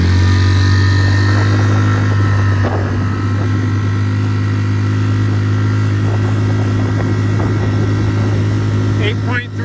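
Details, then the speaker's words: Tohatsu 3.5 outboard on a West Marine PRU-3 inflatable, previously surging/ventilating, now with an aluminium replacement prop for the factory plastic one: steady full-throttle drone without rise-and-fall in revs; normal full-throttle running, surging fixed. "so it's a dramatic improvement it's fine now 30 prop on amazon totally solved the problem"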